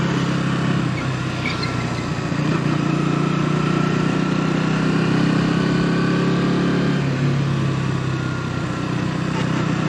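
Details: KTM Duke 200 BS6 single-cylinder motorcycle riding: buzzy resonant drone over exhaust beat with a rattle from the fuel tank area at certain speeds, cause unknown; speed-dependent rattle.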